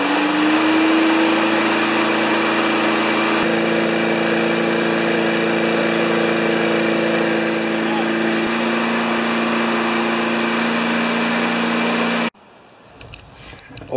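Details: 1992 Wedgefield mower with Briggs & Stratton Classic engine, after blade balancing and priming: smooth, constant single-cylinder drone with no misses or knocks, then shut off; normal running.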